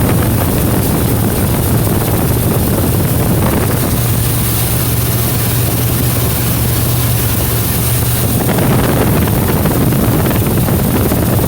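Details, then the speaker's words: 1977 Mercury Marquis V8 with straight-pipe exhaust running after replacing the ruptured carburetor fuel line: very loud, deep, even rumble with no misses or stumbles; no fuel leaks, runs cleanly; accelerator pump fix still pending. "it's gonna be [ __ ] loud because it's a straight pipe car"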